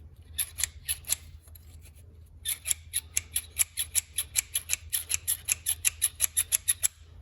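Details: Chevy Silverado AC belt tensioner, removed and spun by hand: rhythmic, high, dry squeaking chirps, about four per second; the old tensioner's bearing is worn, while the new one makes no noise.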